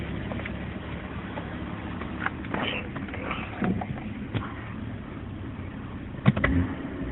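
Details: BMW 325i E46: quiet, uneven idle broken by irregular pops of varying loudness, a rough idle with misfire-like popping.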